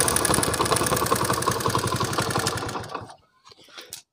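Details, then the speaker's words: Motorcycle before repair, also with hard kick-start: quick light ticking in step with idle, about four per second, until engine shuts off; loose valve tappet clearance, fixed by setting tappets. "तो दोस्तों ही जैसा कि आपने इसमें देखा गया इसमें cartridge की आवाज आ रही है इस आवाज को भी खत्म करना"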